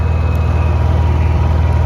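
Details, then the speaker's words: Honda EU6500is inverter generator after replacing a failed GCU (no spark), running at 3,300 RPM on a freezing day. A 1500 W heat gun is plugged in to test the inverter, on low. Deep, steady drone with no hunting or surging: normal running under load. "So what I'm going to go ahead and do is I guess I'll try to find some plugins to make sure that the inverter is working. It's a 1500 watt heat gun."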